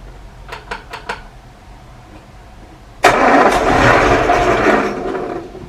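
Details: 1937 Morris 8, 918cc pre-war engine being recommissioned, recharged battery, on choke after plugs thought oiled by diesel: a few brief cranking bursts, a pause, then it catches cleanly and runs evenly; oil pressure rising to about 75 psi, slightly smoky; normal start.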